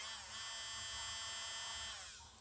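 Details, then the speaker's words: Nail file drill motor powered directly from bench power supply: high, steady whine at constant speed, no rattle or grinding, spins down cleanly; motor healthy, fault lies elsewhere. "wrong with the motor okay now let's just test this machine without the other part"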